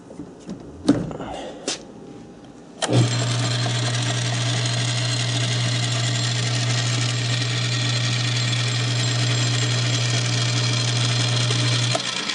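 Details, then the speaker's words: South Bend 9" lathe after the quick-change gearbox conversion, gear train only engaged at the highest spindle speed: steady low drone with a busy chattering rattle; backlash in the non-adjustable reversing (tumbler) gears. "now most of that actual noise is play in these reversing gears here. That's where most of that noise is coming from, because I can't adjust the gear mesh on these, but I can everything else."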